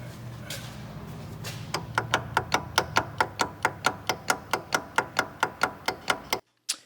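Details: 2016 Chevy 2500 Duramax snow-plow truck, 59,000 miles, clunk in drive: sharp metallic clacks about twice a second as the right intermediate stub shaft is rocked, excessive play at a likely worn tube bearing; worn front diff mounts, metallic debris in fluid.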